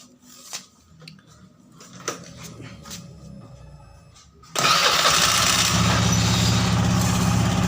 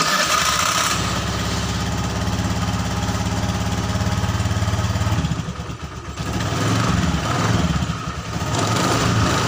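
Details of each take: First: Honda Scoopy FI scooter after repairing a CVT that had been rough and sluggish, especially at low rpm: after a quiet lead-in it pulls up to a steady, even drone with no rattle or surging; the CVT is responsive and sounds healthy again. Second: Honda Scoopy FI scooter CVT after reassembly, idling and blipped: the rough rattle is reduced but a faint coarse rattle remains under the drive noise; clutch next to be inspected.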